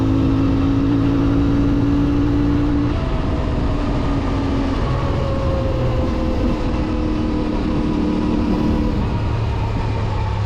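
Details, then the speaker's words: New CFMoto 450MT twin motorcycle at about 500 km, riding uphill on mountain roads in warm weather: smooth, even drone pulling steadily, cleanly through gears; engine block and exhaust sound very healthy under load. "frenler Şimdilik güzel yokuş yukarı motorun sesi çok iyi hem blok olarak hem egzoz olarak yani Videoda ne kadar yansıyor bilmiyorum ama gerçekten çok doyurucu bir sesi"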